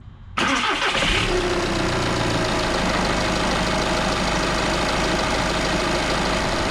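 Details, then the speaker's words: MK6 VW Golf 2.0 TDI (CBAB, DSG) just after timing belt, pulleys and water pump replacement, coolant partly refilled and still bleeding, cold. It catches instantly into a smooth, steady diesel idle with no knocks, rattles or whine; no warning lights: healthy. "Okay, so as you can hear, we've got no issues. There's no warning lights on the dashboard. Engine sounds perfectly happy and fine."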